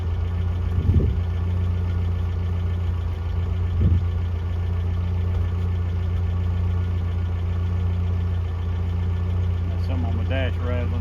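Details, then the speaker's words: 1982 Toyota SR5 4x4 pickup after fixing crank-then-cut-off problem (carburetor rebuilt earlier; owner thinks emissions control computer box was the cause): steady, even low idle without stumbling or dying, a couple of brief background noises; idling normally. "let's try pretty smoo at the moment up a little bit down sounds pretty good at the moment"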